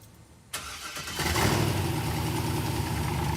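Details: '66 Corvette, dormant 30 years, restored with a newly fitted transmission: short crank catches quickly and settles into a steady, even idle with a firm low rumble. A clean, healthy start.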